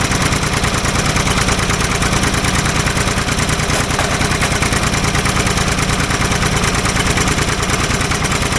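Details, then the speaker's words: Old Ford loader backhoe, long unused, loud steady idle with a quick chuff near three per second and ragged exhaust pops; mechanic suspects it isn't getting full gas flow, as a fuel line connection leaks gas badly; unconfirmed. "there was a lot of popping going on um which I actually think uh is because it's not getting full uh gas flow because when um what I noticed is it's leaking gas like pretty freaking bad out of one of the um fuel line connections"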